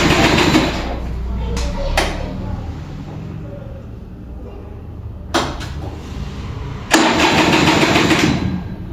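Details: Vintage Kinetic Honda 2-stroke scooter, early-morning cold start with light throttle: repeated cranking bursts with a slowing, labouring grind as the battery drains, weak ignition, engine refuses to fire.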